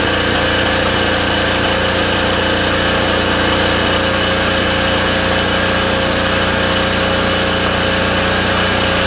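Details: Cheap used diesel generator, bought as a non-runner, running after a new air filter and tested with a light bulb load. Steady drone with a constant whine on top and no knocks or misses; it runs normally.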